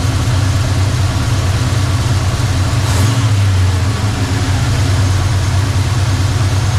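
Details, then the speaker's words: 1985 Chevrolet C10 V8 after timing adjustment: idling much better, about 1,600 rpm warming up versus 2,000 before; steady even low rumble, no misses or knocks. "she's idling a lot better she was at around 2,000 the last time as she was warming up this time looks like it's about 1,600 so yeah a lot happier"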